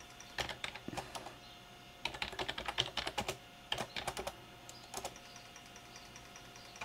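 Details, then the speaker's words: IBM 5155 Portable PC 360K 5.25-inch floppy drive, previously failing to format, now formatting a good disk: bursts of sharp dry clicks as the head steps across tracks with short gaps; drive working normally. "sure we can so there you go there's a drive that as say was working then wasn't"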